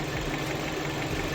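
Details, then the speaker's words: 2019 Mercedes-Benz A220 (A-Class), 2.0 L turbo four-cylinder GDI, misfire without DTC; plugs and coils replaced elsewhere, fault persisted. Idle with faint uneven stumble; oscilloscope shows one injector working at half cycle, engine misfire from faulty fuel injector. "trabaja, pero ah digamos que a medio a media potencia o a medio ciclo. Entonces definitivamente aquí es el inyector el del problema."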